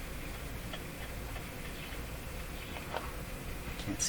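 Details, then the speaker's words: Jewel Model 505 vacuum tube clock-radio, first power-up with volume full, tuned near 590: faint uneven ticks and a brief ding over the hiss of a weak station; clicking interference in the audio, owner suspects the band. "I've got the volume of full that's not too good of showing something is something is interfering with something if you're a little click in a ding"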